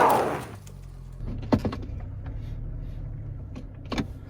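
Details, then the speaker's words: 2004 Chevy Trailblazer at idle after replacing the stuck 4WD front axle disconnect: a couple of sharp clicks from the front as the actuator engages cleanly; normal engagement, 4WD working again. "Okay. So I heard the solenoid kick on the front, so that's a good sign."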